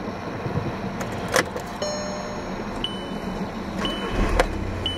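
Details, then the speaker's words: 2005 VW Jetta TDI turbo diesel, 5-speed, said to fire up every time even in cold conditions: catches and settles into a steady even clatter with no misses or stumbles; normal diesel start and idle. "drove this in some pretty cold conditions and it fires up every time"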